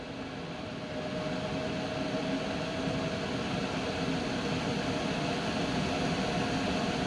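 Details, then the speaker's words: Coway AP-1008CH air purifier on turbo, its highest fan setting: loud steady rush of air, with the fan whine growing more intense and rising in pitch; normal operation. "as you can hear it is getting pretty loud now well you can really hear the loudness of it but you can hear the the whining of the fan is getting more intense and it's also shifting in color a bit"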